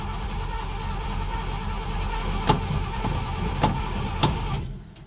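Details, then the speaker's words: 1967 Dodge D100 being revived, started after a pumping and cranking struggle: engine running with a faint steady tone and sharp clacks, a horrible noise on start; owner suspects a belt, unconfirmed. "okay what is that horrible noise sounds like a belt i don't know is it the belt do we have here horrible noises"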